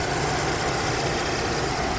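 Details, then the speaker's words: 2010 Ford Edge 3.5L V6 running after a brand new starter was fitted to replace the fried one; quiet, even idle hum holding steady with no catching, grinding or whirring. Normal idle. "but as you can see the 2010 Ford Edge 3.5 she is running we put the brand new starter in"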